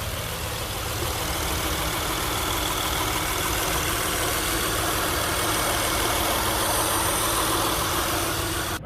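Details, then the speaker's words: 2004 Honda Accord 3.0L V6, first start after AMSOIL engine flush and 5W-20 synthetic oil change: smooth, even idle with steady hum, no knocks or ticks; normal idle. "our first start up with AMSOIL let's hear her purr come on over I want you to listen to this listen to that"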